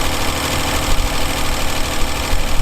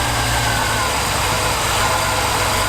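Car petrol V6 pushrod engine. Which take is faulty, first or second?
first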